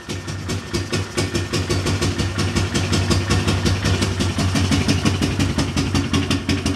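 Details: Single-cylinder Big Bear engine, first start after a top-end rebuild (head honed, valve seals replaced, cam reinstalled) with fresh gas in the carburetor. Putts at about three beats a second, clean and steady with no ticking or knocking, and no smoke. Healthy idle.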